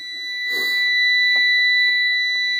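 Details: Sterling rolloff semi on a cold start, which shuts down about every 30 seconds unless an override button is pressed: steady high-pitched electronic buzzer over quiet background; engine shutdown warning, cause unknown.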